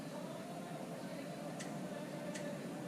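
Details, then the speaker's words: Two sharp clicks as battery power is applied to a bench-tested VTC solenoid valve from a Nissan 300ZX Z32; the solenoid switches and is working. "all right yeah it clicks so i guess that's what you're looking for on the vtc hook it up to a battery and listen for the clicks"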